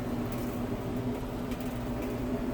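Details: Samsung dryer after drum motor replacement (original complaint: only hummed on start), test run with top off: even low hum, steady tone, no scraping, squeal or thumping; drum turning smoothly, normal running.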